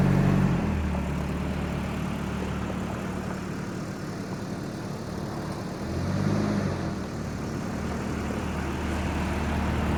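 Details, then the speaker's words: 1989 Volvo 740 GL saloon, sat in a field at least three years, no coolant in it: starts easily and settles into a low, even idle with one brief lift in revs, no knocks or misses; runs healthy, normal idle. "yeah always the same always the same hit the key and uh they far up it doesn't matter how long you leave them"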